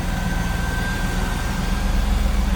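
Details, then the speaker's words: 1997 Chevrolet Camaro Z28 30th Anniversary convertible, 5.7 L small-block V8, stock-looking engine bay: smooth, even low rumble at idle, no ticks or misses; running smooth. "again, 5.7 liter V8 small block Chev. Tried and true. Pretty stock looking engine bay. Running smooth."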